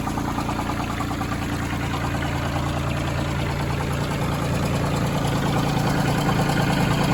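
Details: Branson 2500h tractor, A1100 diesel engine, about three weeks old with 38 engine hours, idling with a steady regular knock about three beats a second over the engine note; owner first suspected rocker arms but doubts it, cause unconfirmed.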